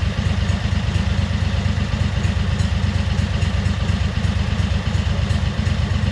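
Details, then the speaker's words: 2003 Wright Stander mower, 23 hp Kawasaki V-twin, with fuel pump rigged to the crankcase pulse output: deep, slightly lumpy, uneven chug at low steady speed; poor running because choke and throttle cables were on the same linkage, working against each other. "Here I'm realizing that the choke cable and the throttle cable were connected to the same linkage and they were basically working against themselves."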